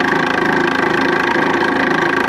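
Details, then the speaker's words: Nipkow disc mechanical televisor spindle drive running: a steady whirr with an even throbbing about ten times a second. The pulley cog is off-centre and angled, making the spindle and belt rock noisily; replacing the cog is being considered. "Although, as mentioned, the pulley cog is a bit wonky, and it causes the spindle to rock a bit and makes it quite noisy, which is undesirable."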